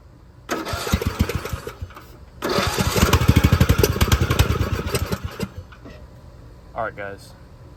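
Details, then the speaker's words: Poulan XT gear-drive 42-inch lawn tractor fitted with a new aftermarket carburetor: two bursts of steady even cranking, about three per second, never catching; won't start because the fuel valve was shut off. "this is some very complex stuff it really helps if you turn the fuel on before you start the lawn motor"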